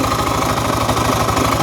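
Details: 12-year-old Yamaha fuel-injected scooter (2nd-gen Cygnus X) at idle: rapid, regular ticking knock; abnormal noise seemingly from the rear, possibly not the drivetrain; piston, cylinder, crank teardown considered if drivetrain ruled out.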